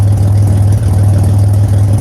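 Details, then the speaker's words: 2007 Pontiac Grand Prix with ZZP XPZ performance cam, first drive after storage, trans temp 105: deep, steady idle rumble with slight rhythmic pulse, no knocks or ticks; normal idle with performance cam. "It sounds good, sounds healthy. That cam lobe's definitely a lot different from the NIC cam,"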